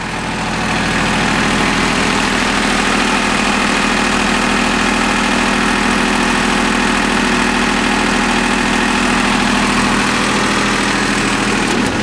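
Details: Small three-cylinder Yanmar diesel after bleeding air from the fuel filter and injector lines: steady, even idle with smooth rhythm, no misses, knocks or hunting; running cleanly, normal.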